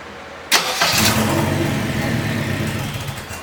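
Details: Subaru BRZ with a turbocharged K24 engine swap, first startup attempt; the starter whirs and a few uneven firing pulses try to pick up, then fade; the engine almost catches but will not keep running.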